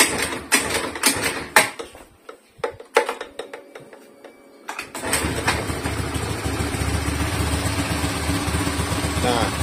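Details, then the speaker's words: Indonesian motorcycle running Castrol Power 1 Ultimate full-synthetic oil, cold start: starter catches, then a smooth even idle with no knocks or rattles; owner says it's smooth cold, slightly rougher when fully hot. "kayak gini ini mulus banget beneran tuh enggak ada suara aneh-aneh ya ini mulus banget suaranya kalau misalkan posisi masih dingin"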